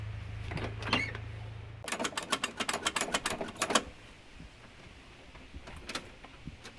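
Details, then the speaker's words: 1978 Jeep Cherokee 5.9L 360 V8 just after a fuel pump install: brief low buzz, then rapid clicks about four per second with no cranking, because the battery was dead and had not been charged. "we hear the thing has a dead battery ah i figured that was the case"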